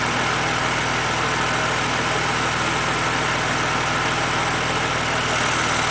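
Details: BMW Z4 3.0si at steady idle with a constant airy hiss sitting above the engine note throughout; the source of the hiss is not pinned down.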